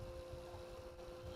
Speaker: It's a brushless DC fan. This moves more air than that does.